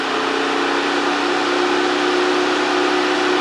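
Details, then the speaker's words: Mercedes 560SL (R107) two-speed auxiliary fan bench-tested on a DC power supply at about 10–11 V, 9.5 A: steady smooth hum and airflow rush at constant pitch, no rattles or scraping; runs quiet and healthy. "tops out at about 11 at a 9 1/2 amp so it looks like it works great nice and quiet"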